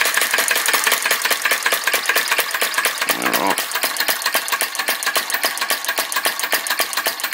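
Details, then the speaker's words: Retro VE-01 crossbeam flame licker vacuum engine, alcohol-fired: quick light clicking about four beats a second, uneven and briefly stumbling. Runs weakly, flame keeps blowing out; wick set too low, to be pulled out for a bigger flame. "so I might pull this week out a little bit make more of a flame see if it'll stop blowing itself out"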